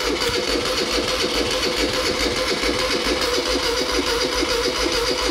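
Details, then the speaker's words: 1975 Moto Guzzi 850T sitting over 10 years, fuel with two-stroke mix squirted in: fast rhythmic cranking about two beats a second with scattered weak pops that never catch; cranking with brief firing, no sustained run. "oh that wants to run it's gonna sound awesome"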